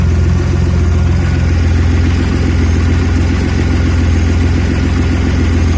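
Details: Audi A4 B7 3.2 V6 with a recurring rough idle when cold: deep, lumpy idle with an uneven low pulse and slight shake in the rhythm; cause not yet pinned down.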